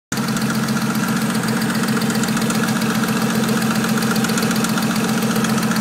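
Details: 2001 Audi S4 petrol engine at idle: loud, steady ticking about three to four ticks a second from the driver side of the engine; cause unknown.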